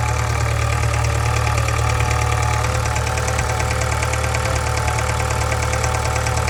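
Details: 2013 Subaru 2.0 Boxer at idle: steady knock about three times a second over a low drone; knock inside the engine with hum, source not pinned down.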